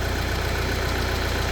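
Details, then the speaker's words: Peugeot Expert 2.0 HDi diesel at idle, which also has a leaking no. 1 injector seal: a fast, even metallic chatter from the cam-chain side over the diesel clatter, a worn timing chain linking the two camshafts. "You hear that chattering? It's coming from this side over here. If you don't know what that is the timing chain."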